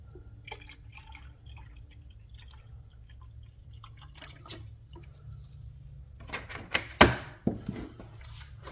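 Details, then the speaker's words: BMW 440i B58 after water pump replacement, refilling coolant in a quiet room: soft gurgles and bubbles each time the lower hose is squeezed, trapped air being pushed out, before the in-car bleed procedure. "You can hear it bubbling a little bit, but every time you squeeze that, you hear the bubbles. That's basically pushing air out and sucking more coolant in."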